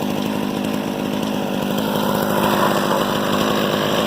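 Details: Harbor Freight 67414 two-stroke ice auger, about eight or nine years old, after a replacement aftermarket carburetor was fitted: steady, even buzz holding a constant speed with no stumbling or surging; it runs fine after the carb swap.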